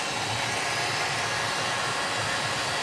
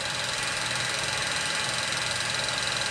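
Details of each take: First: 1934 Bell & Howell Filmo Model 57 projector running in forward with the film drive gears not engaged properly: a steady, hissy whir from the motor and fan with no clean mechanical rhythm. Misengaged gears like this can burn up the film. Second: 1934 Bell & Howell Filmo Model 57 projector, an auction find, projecting old film: an even, fast mechanical flutter over a steady whir with a faint high whine. Running smoothly.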